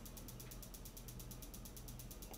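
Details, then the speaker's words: 3000W/6000W-surge off-grid power inverter with no AC output or stuck in overload, switched on: rapid even ticking, about nine clicks a second, over a low hum, coming from one board area while output fluctuates 130–134; faulty inverter, component suspected. "it's ticking away and that's flashing I'm gonna show you what I discovered the ticking was coming from right in this area over here especially at this board in this area"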